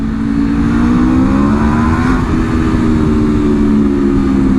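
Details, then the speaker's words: 2026 Aprilia RSV4 V4 with replacement engine (original failed at 12 miles, dropped valve touched piston), about 13 miles on it, stock exhaust: strong pull rising through the revs, note deepening and opening up midway as the exhaust valve swings open. "right, I hear the difference. Oh, I can't wait to get an actual exhaust on this thing."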